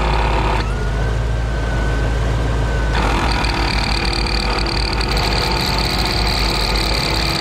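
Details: 15-year-old ARB CKMAT12 twin compressor on Jeep CJ: loud droning buzz with gravelly marble-churning rattle, faulty pump blowing its fuse; worn piston bearing, rebuild kit 320303.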